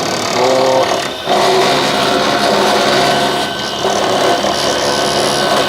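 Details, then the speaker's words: 12 V air conditioner compressor running after replacement on a temporary mounting: harsh, buzzing rattle over the compressor from the loose mounting vibrating, not from the compressor itself. "वो इस तरह की है कि इसकी जो आवाज़ है ना वो पैदा हो रही है। तो ये कंप्रेसर की आवाज़ नहीं है, इसकी वाइब्रेशन है।"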